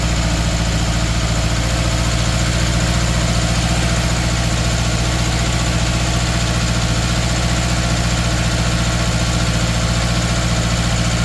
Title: 2013 subaru outback 2.5 misfire cylinder 3